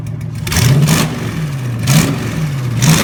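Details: Junkyard 2009 5.7 Hemi V8, about 80,000 miles, with Hotwire harness and 09 Challenger PCM, on a run stand with fans running: deep steady idle with three clean throttle blips, revs rising and falling smoothly. Normal idle and revving.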